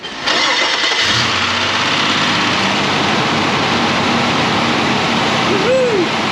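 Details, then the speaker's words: 2000 Nissan Frontier 3.3 4x4, first start after new timing belt, tensioner, water pump, crank pulley, fan clutch and oil pan/timing cover reseal: cranks briefly, catches within a second, settles into steady even idle; no leaks, healthy. "woohoo it is alive no leaks fantastic"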